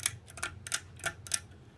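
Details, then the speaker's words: 1988 Sears (Encon) 42-inch Spinner ceiling fan with horrendous bearings: bursts of swishy ticking about every third of a second at low speed; the whipping sound comes from another fan in the background. "you're don't know what that other whipping sound is it's view that view fan over there"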